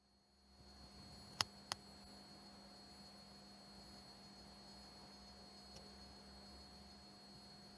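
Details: Vintage 1976 Bulova Accutron 219 tuning-fork watch: faint, perfectly steady high hum with no beat or wavering, plus a couple of handling clicks; the movement is running normally.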